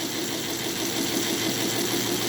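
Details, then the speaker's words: Model locomotive on an NGS Northern clone chassis with an extended K5 tender, all 8 wheels running, at 50% throttle: steady, even whir of wheels and motor, no gear grind or clicking, gear noise gone. "all you hear is the worring of the wheels. The gear noise is gone. The WW is gone."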